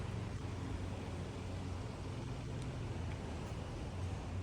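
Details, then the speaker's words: 2009 Nissan CVT car, after replacement used transmission went into limp mode with whining; after replacing clogged filters, warmed-up idle is a steady low hum with no whine, no check engine light; normal CVT idle. "she's been running for a little bit there's no winding noise"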